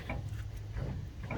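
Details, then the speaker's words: 1998 GMC K1500 rear drum brake, shoes being adjusted with the self-adjuster wheel while the drum is turned by hand: soft shushing swipes come and go as the shoes lightly drag before releasing, showing the adjustment is close. "feel it. I can hear the shush shush sound. And it drags a little bit before it comes off, so maybe a little bit more."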